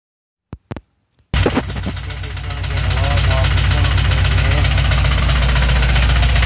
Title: Rod knock? fuel injector stuck open?